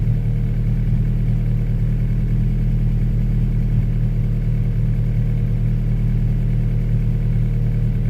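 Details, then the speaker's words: Honda Prelude, first start after sitting, harness thrown on as-is, open exhaust manifold, no throttle pedal hooked up: steady, even low rumble with loud open-exhaust note, no knocks or misses, holding steady at 40 psi; normal idle. "Dusty in here. But so she's running."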